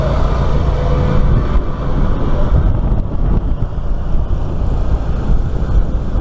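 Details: Walker MTGHS mower after hydro transmission fluid top-up (reservoir filled three times, very low, suspected cause of losing drive), test run on driveway: steady low engine drone, wind rumble, pulling evenly, no drive whine; sounds healthy.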